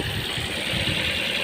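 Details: Ford Fiesta after no-crank no-start repair by reprogramming modules and replacing crank sensor: steady, even idle with no misses, knocks or rattles; engine runs smoothly.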